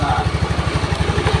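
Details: Honda Beat injection scooter, single cylinder, quick even idle at about fourteen pulses a second with no stumbles or rattles, after a faulty wiring path causing total electrical and ignition failure was fixed; charging normal.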